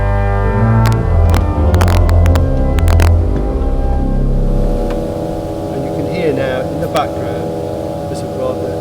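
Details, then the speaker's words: Church pipe organ at St Mary Magdalene, Newark, with a 32-note pedalboard: a low droning pipe note sits under the playing and hangs on after the chords stop. A pedal stop is ciphering, a mechanical fault that needs repair. "not very nice and that's called the cipher and of course if you finish a piece and that's going on everybody thinks there's something really wrong with the organ"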